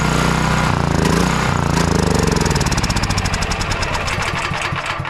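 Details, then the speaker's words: Champion dual-fuel 9375 generator that won't start and surges, spark and compression good, low-oil shutdown wire unplugged: fires briefly then stumbles and dies once sprayed cleaner runs out; carburetor issue, clogged carburetor. "So as long as I'm proceeding to spray carburetor cleaner in it, it stays running. That means we're having a carburetor issue here."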